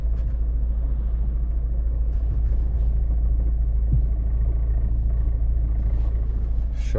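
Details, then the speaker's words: 2008 VW Golf Mk5 1.9 TDI driven on a main road: a heavy low rumbling shudder pulsing about three times a second under load, with the whole car violently shaking. This is dual mass flywheel judder from a worn flywheel; the clutch and flywheel are to be replaced. "But the jutdder, see if I can uh everything's shaking like that. I'm wobbling like if you can hear that"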